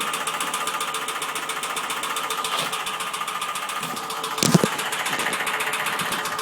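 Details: Ford Sierra 2.0 OHC carburetor engine: fast, even metallic knocking over the idle that keeps pace with engine speed; engine knock, source unknown.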